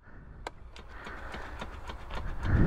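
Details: Honda Rubicon ATV fitted with spacers and dual wheels on each corner, dash not showing a gear: light ticks about three per second over building engine rumble as the electric shift hunts between gears; cause unconfirmed.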